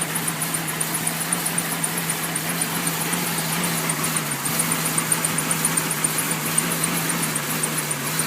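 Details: 1999 Jeep Cherokee XJ at cold startup: rough uneven idle with misfire and fluctuating RPM, TPS reading jumping 0 to 17 at idle, plus a fast chirping squeaky fan belt.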